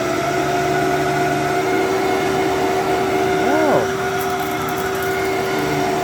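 Steady, even motor hum with a clean high whine and no rattles or grinding; this old upright vacuum is running healthy.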